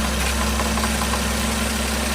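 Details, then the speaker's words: Toyota 1JZ-GTE VVTi engine, fully warm, at idle. The rattle fades with higher revs and returns at idle, and it stops when the camshaft is pushed forward with a stick, pointing to camshaft end play. "Все, звук ушел. Ничего больше не гремит. Вот так гремит распредвал. То есть я вперед толкнул, звук пропал."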